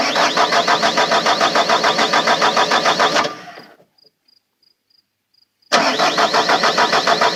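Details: Bobcat T300 turbo that won't start: even cranking at about three and a half compressions per second, a stop, then cranking again. It spins over fine but never catches. Crank, no start.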